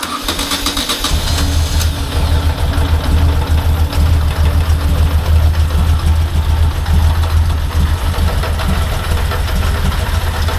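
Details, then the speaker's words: 1998 Moto Guzzi California idling after an oil and filter change, sump cleaned and regasketed, fuel system cleaned but not the tank, bike not run in a long time. Catches and settles into a steady, even low thump with no knocks or misses. Normal idle. "So let's give it a go and just let it idle for a bit and get some of that fresh oil through."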